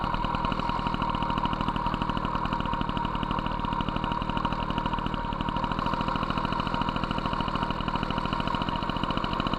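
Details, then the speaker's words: MBK 51 Magnum, stock two-stroke with Dellorto PHBG 15 BD carb: a fast, steady high idle that races even with the mixture screw fully closed, showing the 48 idle jet is too big. The 68 main jet also seems a bit rich. "j'ai fermé complètement le régime s'emballe ça veut dire que le 48è trop gros"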